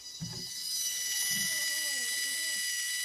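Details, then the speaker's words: Smart-home automatic water shut-off valve triggered by an Insteon leak sensor set on a wet towel: quiet electric actuator motor whirs a second or two, pitch wavering, as it drives the valve closed; normal operation. "at the same time you'll hear the water sensor start to or the water valve start to close"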